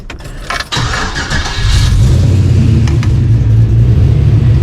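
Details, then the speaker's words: LS-swapped 1992 Dodge Dakota after a catch can was fitted and the idle screw adjusted, with a major vacuum leak suspected: a quick crank catches and settles into a steady, even idle. It now returns to idle and starts normally. "it starts up just fine. And I was having problems with it coming back down to idle before. Not a problem."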